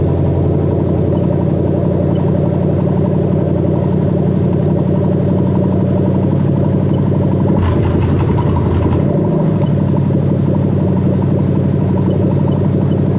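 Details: Toyota Crown 3UZ-FE VVT-i V8 on a plug-and-play harness test for a Lexus IS200 swap with a 6-speed automatic: smooth, even low rumble at idle and a quick clean rev; sounds healthy.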